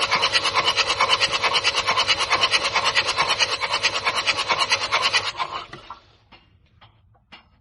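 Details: Common-rail diesel: steady starter churn about two beats a second for five seconds without firing; long-cranking hard start, bad injectors suspected, checked with a return-flow leak-off test.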